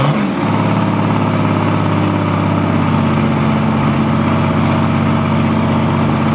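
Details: BMW/VM D190 marine diesel at first start after a rebuild following a broken valve, with a VM 2.4 liter liner, piston and head, runs a steady but lumpy, uneven firing rhythm that never settles cleanly; air drawn in past leaking injection pump front shaft seal.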